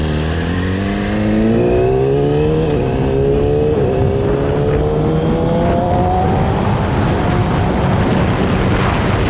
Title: YAMAHA R6 2020 abnormal sound when rev more that 5000